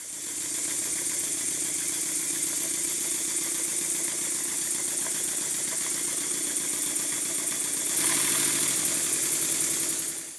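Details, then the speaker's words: Stuart Models Double 10V steam engine, freshly oiled, no displacement lubricator fitted: fast even chuffing at about four exhausts a second, steady and smooth with airy hiss; normal running. "it starts readily enough and runs quite well i'll stop talking for a while so you can listen to it"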